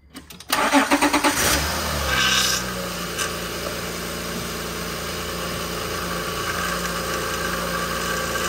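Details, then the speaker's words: 2006 Honda Pilot 3.5L V6 just after power steering pump replacement with genuine Honda fluid. It cranks about a second, catches cleanly and settles into a quiet, even idle with no whine or groan from the steering pump. "out what are you gonna do um it's quiet normally"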